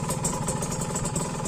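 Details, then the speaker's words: Used Kawasaki Ninja RR two-stroke at idle: rapid raspy engine with sharp ticking puffs and hiss; cheap aftermarket RCB exhaust leaking everywhere and not yet repaired, engine sound already rough; exhaust leak. "untuk knalpot ini masih pakai rcb knalpot aftermket yang biasa-biasa aja Ini ya Bukan yang bagus Karena bocor semua"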